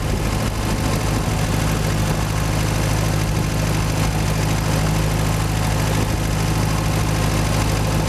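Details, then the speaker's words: Boat inboard engine under way on sea trial at cruise, 1500 rpm, 60 psi oil pressure, water temperature about 130: even steady low drone, no surging, knocking or misfire; normal running, though engine died shortly after, owner suspects clogged carburetor. "there's a starter we're under way 60 pounds of oil pressure cruising it 1500 rpm water 10 to 1 30"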